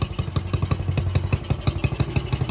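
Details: Honda CT70 after timing and valve adjustment, jetting suspected not quite right: the single-cylinder thumps at about seven beats a second, slightly uneven, in a rough, lumpy idle that still holds and responds to throttle.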